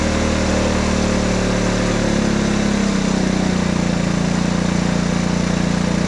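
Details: Honda ATC 90 running after sitting 50+ years, carburetor sandblasted, points adjusted, valve clearances checked: steady single-cylinder putter at an even idle, firing regularly with no misses or knocks; runs healthy.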